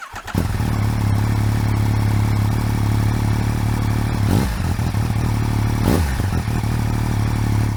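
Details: Yamaha MT-09 after swapping the stock cam chain tensioner for a manual one: three-cylinder engine running steady with a light metallic rattle over the low drone; remaining rattle, source unconfirmed (later MT-09s have a noisy slipper clutch basket).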